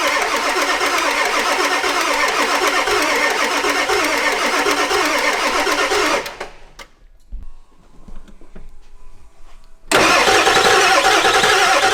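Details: Ford E350 4x4 van, 7.3 liter diesel, first start attempt, one glow plug burnt off. Starter cranks about three compressions a second for six seconds, pauses, cranks again, never catching; no-start, owner suspects too little glow plug time.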